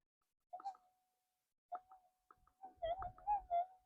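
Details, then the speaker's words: AlgoForce E1500 metal detector with 11-inch Commander mono coil, gain raised from a smooth 22 to 28: steady high threshold tone breaking into erratic warbling blips with no target; chatter from excessive gain, frequency scan next. "that's on 28 it's getting chattery you can hear that"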